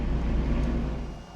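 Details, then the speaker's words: Diesel heater blower motor, owner thinks he cooked it; brush holders have started to melt, leaving uneven gaps: a low steady hum sags and dies within about a second as the motor stops, followed by an E6 error. Failing motor, needs replacing. "I don't know that I'm going to be able to fix this I might be able to put it back together and keep it running for a little while but definitely not good I'll have to get another motor"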